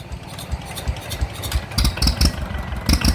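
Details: Two-cylinder Kubota diesel, said to be 14 hp, bought used and being upgraded, running just after valve adjustment and reassembly. Steady low chug with no top-end tapping; quiet valve train and a normal idle.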